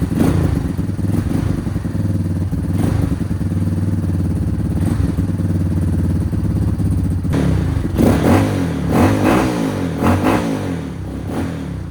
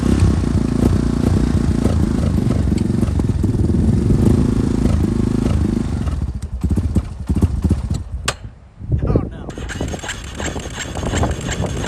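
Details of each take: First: Yamaha Warrior single-cylinder quad after fuel system work, choked, spark plug wire refitted: steady even low thumping with no misses, knocks or ticks; starts and runs cleanly, normal running. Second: Yamaha Warrior quad, carbureted (Chinese aftermarket carb), weak battery on jump pack, laboured cranking about six seconds that never catches then sputters and dies; little suction at airbox, owner suspects tight valves; hard starting.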